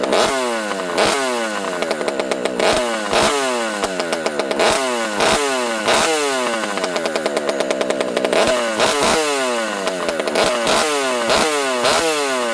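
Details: Rebuilt Partner P42 two-stroke chainsaw on the bench in warm weather: crisp howl with repeated quick blips to full revs and clean drop-offs, no bog; picks up well, though owner notes the open pipe spits fuel.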